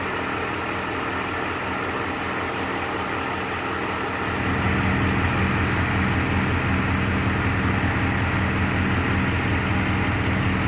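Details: Rover 3.5 V8 with a wobbling pulley, idling with a repeating stumble about three times a second that steps up in level midway; one cylinder missing, misfire at idle.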